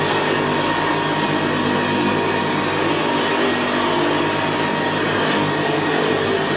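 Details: 1975 Hoover Senior Ranger U4002 vintage upright vacuum on carpet: steady, quiet motor hum with a low gravelly brushroll rumble, louder where carpet is squashed down; typical of the Ranger. Normal, healthy running.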